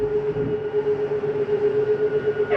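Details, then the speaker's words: 2022 Jayco Eagle 29.5 BHDS, slide two (dinette slide) retracting: steady mid-pitched motor hum holding one even tone, no grinding or clunks; normal slide-out retraction. "select slide number two retract this and bring in your dinette slide very important make sure those drawers down there underneath the bunk area are closed"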